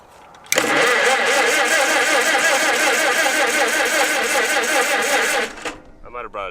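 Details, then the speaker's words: Revived abandoned Farmall H on its first cranking after a battery connection was fixed: the starter churns steadily with even compression pulses for about five seconds, but it never fires, and the oil pressure gauge does not move. Cranks without starting. "god that felt like a hard stop well hell yeah we're spinning"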